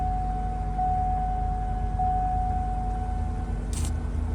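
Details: 2006 Cadillac DTS Northstar V8 after a crank no-start, fixed by securing a loose battery cable terminal: engine starts and settles into a steady, even idle with smooth low rumble and faint constant whine; normal idle.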